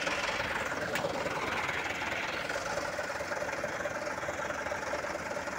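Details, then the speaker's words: Mitsubishi Canter 125HD 4D34 diesel truck, first start after piston ring replacement following radiator water loss and overheating that scored piston 4, with a new radiator: even diesel clatter with light steady ticking, no knock or miss, calm; normal idle. "Oke hidup dia ya Oke dia udah hidup ya mesinnya tenang"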